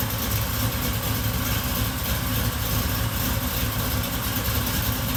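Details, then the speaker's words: Supercharged Oldsmobile Cutlass V8 after cam swap with new seals and gaskets: even, lopey idle with steady low rumble, no ticks or knocks; healthy. "it turned out really good i'm gonna crank it up let y'all hear it run"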